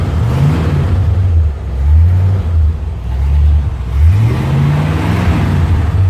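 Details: 1957 Chevy convertible V8 with over 250,000 miles, run at 3 a.m. after exhaust manifold bolts retightened: deep, even rumble blipping and settling cleanly, earlier idle clack-clack in exhaust gone; seems sealed, normal running.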